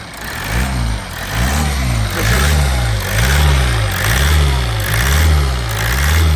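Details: Toyota Avensis T270 2.0 D4D diesel (2011) after a seal repair on injector number 4, revved just after starting: revs rise and fall with throttle blips about once a second and return smoothly each time. Running cleanly.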